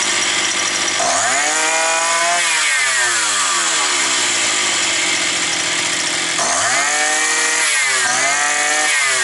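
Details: Roughly 52cc two-stroke petrol brush cutter that started then stalled, probably after sitting over winter: run with choke and no air filter fitted, it starts cleanly, revs up and back down twice and holds idle without stalling.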